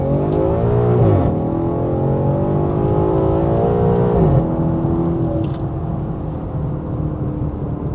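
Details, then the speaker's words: Vandalized Maserati GranTurismo V8 blipping and holding revs: loud, raw, booming drone from ruined open straight-pipe exhaust, audible far away, unbearable. "Aika eläimellistä menua on kyllä täytyy sanoa. Kuuluu luultavasti viiden kilsan päähän tämä vingutus tuonne."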